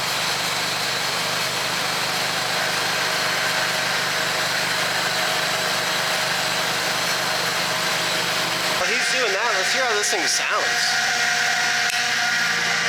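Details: 2002 Toyota Tacoma with solid axle swap, 3-link coilovers and 37-inch tires, first start after bleeding brakes: steady even idle with no knocks or misses, loud power steering pump whine rising while steering left and right; healthy.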